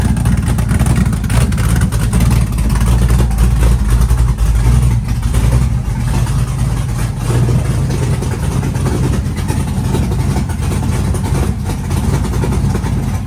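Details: Chevy truck with freshly built LS-swapped big-cam V8, started at 75° coolant temp, 65–75 psi oil pressure at idle: deep lumpy uneven big-cam lope, steady, no knocks; engine running fine.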